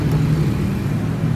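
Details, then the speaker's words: Electric fan that would not spin although powered, after refitting its worn, loose motor bushing and reassembling: even low hum held constant with no rubbing, squeak or ticking; the fan spins freely and works normally, ready to return to the customer. "แล้วมันก็ปิ้นแล้วบาดนิใช้งานได้ปกติส่งลูกค้าได้แล้ว"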